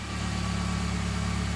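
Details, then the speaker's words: Car idling after an exhaust manifold gasket replacement, with carbon cleaned off, rusty bolts replaced and torqued to 36 ft-lbs: smooth, even idle with a steady low exhaust note and no ticking or puffing; leak fixed, quieter. "let's crank up before cover it up. it makes less noise and exhaust sounds look great."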